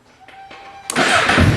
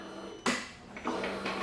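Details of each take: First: Motorcycle that only clicked with gauges on due to low battery, after charging the battery 5 to 10 minutes: starter catches within a second, then steady even low idle with no misses. Starts and runs normally after fix. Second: Motorcycle won't start on key-turn: three sharp single clicks about half a second apart with no cranking; the screen still lights and the fuse is intact, so the battery is low, drained by accessories connected to the bike. Starter clicking from low battery.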